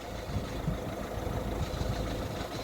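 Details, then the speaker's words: Citroen Berlingo 1.6 HDi diesel idling in neutral: low, uneven chattering rattle under the engine note that disappears when the clutch is pressed and worsens when driving; points to a noisy, failing gearbox. "right in neutral so you can hear a little bit of a chattery noise there hopefully it doesn't sound too horrific there but when I press the clutch it goes away"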